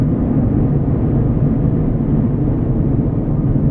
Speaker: nah there's no way you're there's no whistle to the slide bar that's that's that's great